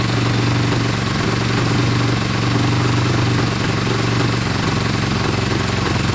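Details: Motorcycle settled into a smooth, even, healthy idle with no knocks, misses or surging, after a restart (the fuel had been off). Pod filters are fitted, and it is warming up just before the radiator fan kicks in. It is running well.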